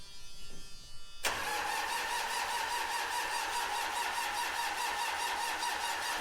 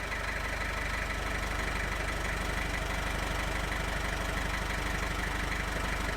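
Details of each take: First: 1995 Gehl 5625SX diesel skid loader with long-standing hard starting, traced to a faulty glow plug relay (replaced). Two ~five-second cranking spells, steady starter whine and even pulses, never catching. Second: 1995 Gehl 5625SX diesel skid loader, hard-starting problem thought to be traced to glow plug relay. Even diesel clatter at idle, steady rhythmic knocking at constant pace, no misses: normal idle.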